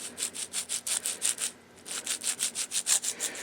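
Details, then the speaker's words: Old firewood trailer's wheel bearing, rusty with pitted rollers even after repacking with grease, turned by hand: gritty rasping rumble in quick bursts of about three a second; the bearing is worn out. "like you can you can hear it's got a bit of a rumble shouldn't sound like that that's going to be one noisy bearing"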